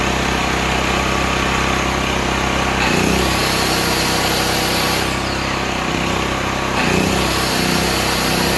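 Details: Stanley 8000 W all-weather generator, bought used after sitting four years, run after starting fluid, meter reading 7 (possibly 7 hours), new air filter; steady, even drone at constant speed, no hunting or surging; running normally.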